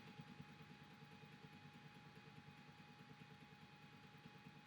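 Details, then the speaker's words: Wanhao 4DS 3D printer extruder: faint uneven clicking about twice a second over thin steady hum as the extruder stepper motor skips; extrudes only when the brown motor cable is held, cable replacement expected to fix. "pretty sure it's this brown cable that is causing a problem, but of course now, there we are, it's extruding now, but I'm to hold it in a odd position. So I'm pretty sure when I replace this cable, it's going to fix it."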